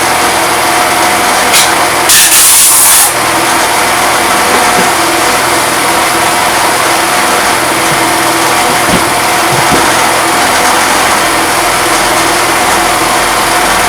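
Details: Fada Wind two-stroke that would not start, after spark plug, air filter and starter ratchet replacement, new air filter just fitted: steady high buzzy drone, holding speed without cutting out or misfiring; running fine now.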